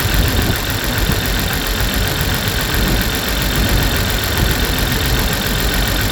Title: 2002 BMW Z3 2.2i Cold Start Misfire